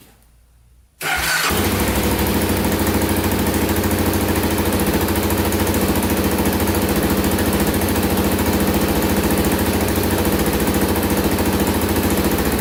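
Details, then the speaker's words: $900 Can-Am DS650 quad after carburetor cleaned and reassembled, run about 10 minutes with no leaks: fires on first crank and settles into a steady even single-cylinder thump at idle; normal start and idle. "let's let's fire it up one more time and make sure and it starts right up every time"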